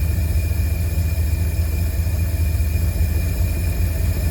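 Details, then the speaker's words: 1952 Cadillac Series 62 V8 after carburetor rebuild, first start with no adjustments, condenser and coil replaced: low, even idle burble with no misses or knocking; runs healthy, though owner noted backfires and rough idle, suspects timing. "That sounds pretty good to me. I mean, I don't even know if I have the stuff adjusted right. Seems to be running pretty good."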